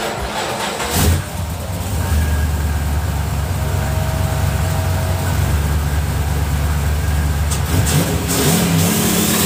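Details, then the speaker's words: Car with newly installed MSD 2-step box, two-step setup integrated with the tune: revs climb and hold at a fixed ceiling, droning steadily; the two-step launch limiter is working. "I'mma crank it up and let's see if we get some twostep."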